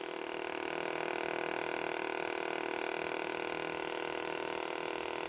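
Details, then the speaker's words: Electric fuel pump on the bench after repair, wired directly to positive and negative: steady, even electric hum with fast light pulse, no stalling or ticking; pump runs freely and draws normally. "آپ switch لگائیں گے، لگانے کے ساتھ ہی یہ ٹینکی سے petrol اپنی طرف کھینچ دے گا."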